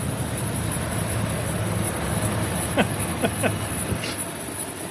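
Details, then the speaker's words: 2003 Toyota 4Runner 4.7 V8 just after replacing worn idler and tensioner pulleys, starting up: harsh chirping belt drag because a new idler pulley is frozen; owner suspects its bearing guard washer binding. "What the Oh, that pulley's frozen. Hold up. Well, that was easy to find."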